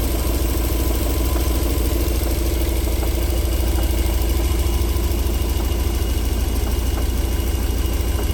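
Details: 1994 Alfa Romeo 3.0 24v V6, warm after about 4 minutes (smooth when cold): steady low idle rumble with faint regular tapping about three per second; knock of unknown origin.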